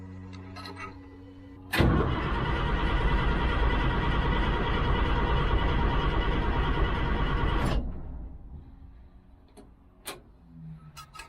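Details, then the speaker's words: Old 6x6 deuce-and-a-half army truck diesel, long sitting, warm day: about six seconds of steady cranking at roughly three turns per second, turning over freely but never firing; fuel apparently not reaching the cylinders. "so it's turning over good so that's not an issue I got to figure out why it's not getting you know why the fuel is not making it into the chambers or whatever"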